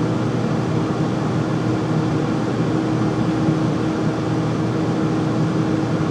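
A constant heavy hum with a steady low drone tone stays unchanged throughout; the furnace runs unusually loud, cause unclear.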